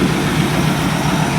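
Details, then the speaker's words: 1949 Mercury Meteor flathead V8, cold, after repairing a bent valve and missing keeper that caused a dead cylinder; oil pressure about 50 psi. Steady, even low rumble with no ticking or knocking. Normal idle. "It seems to be running nice. That's sitting here cold right now. No ticking, no knocking, it's smooth."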